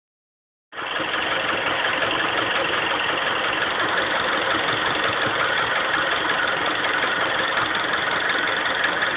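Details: Honda CR-V engine at idle: regular light tapping, about three beats a second, keeping time with the engine; idle knock of unknown origin.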